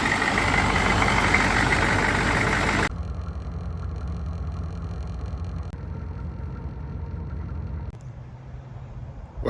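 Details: 1993 GMC C2500 6.5 turbo diesel, after a no-start fixed by jumping the oil pressure sender to run the lift pump and fitting larger 78-series batteries: loud rough opening, then steady even low idle clatter, no misses or knocks; healthy.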